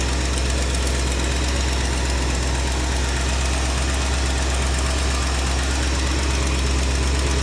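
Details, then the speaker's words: Mom's 1967 Mercury Cougar V8, first run after long storage, cold idle: steady idle with a light fast tick, about three a second. A valvetrain tick is suspected, maybe valves out of adjustment; an exhaust leak or lifter is not ruled out. "It's already sounding like a slight tick valve train, but George, don't be so negative, buddy."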